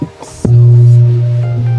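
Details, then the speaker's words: Cheap street-bought speaker with built-in amplifier, plugged in: a click, then a loud steady mains hum with no audio output. It is being opened for diagnosis and is probably just old. "kung maririnig niyo Ugong lang siya Buan natin para malaman kung bakit Gan umugong"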